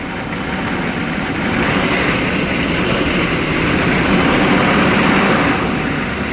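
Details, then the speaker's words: 1995 Chevy 3500 6.5L diesel dump truck, cold start after sitting all winter, jumper-assisted: uneven, lumpy idle with shaky throb and surging, smoking. Needs throttle feathering to stay running. Rough idle. "pump that gas pedal see it it helps keep it running yes keep your foot on the throttle tell idle's out keep it up it's going to die she don't want to stay awake"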